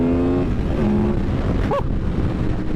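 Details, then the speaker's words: Stock Honda VFR800 782cc V4 accelerating on the road, warning light on dash: note climbs under load then turns harder and sharper as VTEC engages, supposedly around 7,000 rpm; noticeable, normal changeover. "Oh, it's noticeable."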